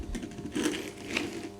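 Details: Small BMW clunking noise traced to front suspension; bare strut top mount on co-driver's side turned by hand gives rough, gritty scraping with uneven clicks, dirt inside. Worn strut top mount bearing.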